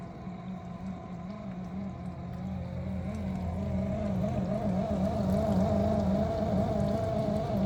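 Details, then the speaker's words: Miele G6625 dishwasher bought April 2018: rough grinding hum with steady drone when the circulation pump motor starts after filling. Filter, spray arms and non-return valve checked clear; solenoid valve replaced earlier. Owner suspects debris in pump or worn motor bearings. "So, it's filling with water right now. But once it starts stops filling and the circulation pump motor starts up again, same noise is going to happen."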